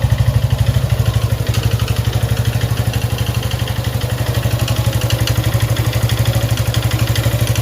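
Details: Suzuki Gixxer 155cc single idling with a steady mechanical clatter on every beat, about three a second; the owner neglected the oil. Suspected causes are the cam chain, excessive valve clearance, or piston/ring wear. Internal engine noise, cause not yet confirmed.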